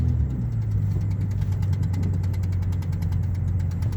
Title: Weird tapping sound in engine